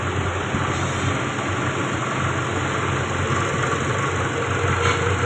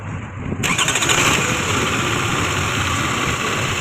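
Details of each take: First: Toyota Camry that had started for two seconds then died, with codes P0351–P0354 for the ignition coil circuits: after replacing one ignition coil it idles steadily and evenly with a smooth low hum and no misses. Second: Toyota Camry that started for 2 seconds then died, codes P0351–P0354; with number 3 ignition coil connector unplugged it cranks briefly, catches and settles into steady idle. Shorted ignition coil cutting ECU current; wiring and ECU fine.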